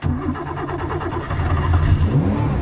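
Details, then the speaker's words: Car with Weber carburetors that normally starts rough. Started by pushing the pedal once, then cranking with the pedal held a quarter down. The starter churns briefly, then the engine catches cleanly and settles into an even, steady idle: a healthy start. "There, and it starts up fine."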